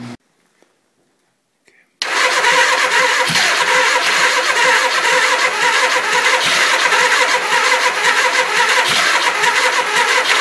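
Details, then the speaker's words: 1979 Suzuki GS 425L, first start attempt after rebuilding carbs, fresh gas, partly charged battery, on choke: steady quick cranking that never catches and dies down; crank no start, owner suspects low fuel or petcock setting. "hmm it doesn't really seem to be turning it sounds like it's trying a little bit maybe it's maybe it's because i didn't put enough fuel in there or put it on a reserve i should say"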